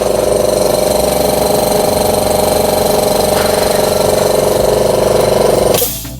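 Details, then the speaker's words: Oil-lubricated 24-litre, 2 hp air compressor run briefly for a noise comparison with a small silent compressor; it gives an even, fast pulsing hum of about three beats a second with a steady mid tone; running normally. "See on siis õlitusega 24-liitrine kahehobujõuline kompressor. Teeb sellist häält ja siis on meil väike silent kompressor."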